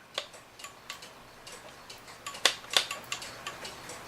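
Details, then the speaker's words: Hebert Herr 8-day cuckoo clock made before 1970, with a clean movement, before oiling and with no pendulum, chain pulled. It gives faint ticks at uneven intervals that falter rather than keep a steady beat. The owner suspects the movement is dried out. "So it doesn't want to tick, and I would say that's because it's dried out."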